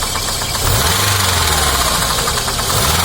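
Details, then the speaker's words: 2006 Daewoo Sens, bought a year ago, running on gas after a petrol start, hood open, engine revved; fast, even ticking knock over the rumble; onlookers suspect an unadjusted valve, others bushing or crankshaft, not confirmed. "Мотор сложний. Бачите? Щось стучить, коротше."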